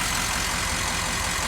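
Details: 6.0 Powerstroke diesel truck, earlier a low-ICP crank-no-start (HPOP building only 50 psi), now starts right up after WD-40 in intake and holds a steady, even idle with no misses; normal start.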